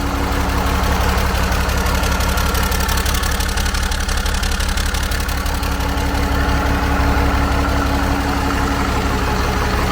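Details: 12-valve Cummins converted to common rail, fired up again with fuel pump running: even, deep diesel clatter at a settled idle, about three beats a second with no stumbles; healthy-sounding engine.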